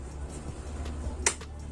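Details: Onkyo HTR-590 receiver, 120 V model run through a converter, powering on: one sharp relay click over low mains hum, then nothing; no-power fault, only about 540 mV measured at the test point while standby voltage is present, cause not yet found.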